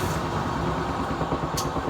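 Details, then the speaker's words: Kenmore laundry center washer made by Frigidaire, spinning: loud steady low roar with no rhythm of its own; worn drum bearing. "it still spins pretty good including the one you can hear how loud the bearing was during the spin"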